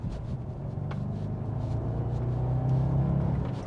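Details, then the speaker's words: Audi S5 V8 with standard exhaust, no switchable valves, on a road test after a simple exhaust repair: deep, even, subdued rumble under steady load with no rattles, drones or blowing; normal exhaust note. "can hear it's got power and it's a V8, but it's like I say, it's subdued, and there is no switchable valves in this car"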